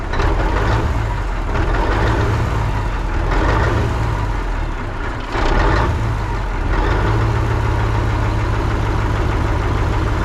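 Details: 1980 Peterbilt 359, Cat 3408 diesel revived after years sitting, fired up on ether: deep steady idle rumble with normal clatter, no misses or odd knocks; 80 psi oil pressure, sounds good. Normal idle.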